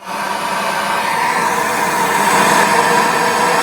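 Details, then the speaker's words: Motorhome stereo with ignition on: constant even hiss with faint steady tone through the speakers; old head unit faulty, loom red and yellow wires suspected swapped, fixed by fitting new stereo. Speaker hiss from faulty stereo. "the hiss? Right, so you can hear the hiss."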